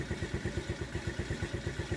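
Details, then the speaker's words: TaoTao 50cc scooter with a replaced carburetor, rough idle near stalling; a faint, uneven putter that stumbles and sags, recovering with a little throttle. Cause unknown; owner considers checking valve clearances. "now it's running but it's running very very you know it's about - it's about to cut out I can pick it back up by giving a little bit of a little bit of throttle"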